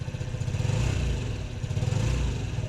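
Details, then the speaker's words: 2008 Honda Ruckus revived after sitting over five years, with fresh gas and cleaned clogged parts, still cold: low, slightly uneven putter at steady idle, a touch choppy only from the cold. Normal cold idle. "still a little choppy because it's cold once this thing warms up you can actually hold this thing like wide open through it like all the organs and it sounds good"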